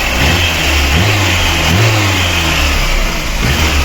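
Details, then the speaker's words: VAZ 2108 with 1.6 engine after cylinder head rebuild (new valves, exhaust seats replaced, intake seats cut), knocking complaint: clean rev rising and falling smoothly, no knocking or ticking; normal running, carburetor still needs adjustment. "працює шлуха отлічно працює нічого не шумить не поршнева Досить дивно обично 1,6 блоки вони всі тарабанять Ну тут все в порядку"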